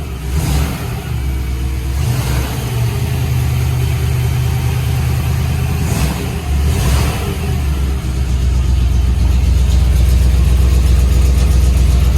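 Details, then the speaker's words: 1961 Corvette or 1957 Chevy V8, unrun for decades and given fresh gas: fires up, blips the throttle a few times, then settles into a deep, lumpy, strong steady idle. Runs healthy with no oil leaks seen. "Sounds good. I don't see any oil leaks."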